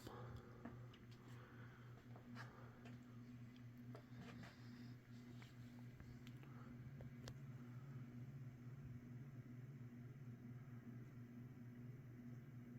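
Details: 1980s Saff Enterprise Flush Polo 52" hugger ceiling fan on medium speed; this one has better bearings, so it is quieter, with only a slight noise and an even, steady hum with no grinding. Running normally.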